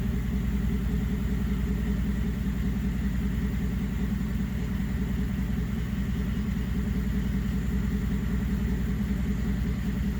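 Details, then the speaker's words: 2011 GMC Sierra 1500 V8 after failed oil pressure sensor replaced and full fluid service: smooth, even low idle rumble with a steady beat; earlier slight tick and lope gone, healthy idle. "Yeah, listen to that. I mean, it sounds brand new."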